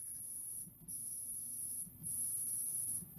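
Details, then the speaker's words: Area 51 Site 4 arcade machine, sat over two years, hard drive replaced, on power-up: thin, very high whine cutting out about every 1.2 seconds, sounding like a dying animal; power cycling repeatedly, high-pitched whine. "It is plugged in and it is intermittently sounding like a dying animal, but it looks like we are booting up."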